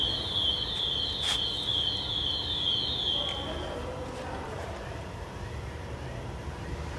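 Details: Bicycle brake gives a high, pulsing squeal that cuts out; fixed by adjusting the tension of the brake screw.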